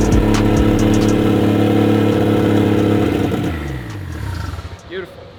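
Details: 1JZ-GTE swap into a Lexus IS300, first start after wiring troubleshooting; only the last 20% of throttle works (likely needs relearn). Engine fires and runs with a steady, even note that settles and fades out; no knocks or misses, runs fine.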